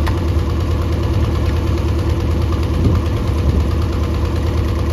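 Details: Mercury 90 hp outboard on a Shetland 535, top speed only about 40 km/h, compression unchecked: running while spark plugs are pulled, a lumpy uneven idle with irregular low thumps like a cylinder dropping out; not firing, cause unconfirmed.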